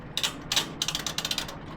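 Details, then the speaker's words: Laundromat washing machine with door latched: rapid uneven ratcheting clicks in short bursts instead of clean detents; the timer mechanism is slipping, a broken timer switch later replaced from a donor machine. "Oh, see how Can you hear that? This is slipping. This thing is slipping."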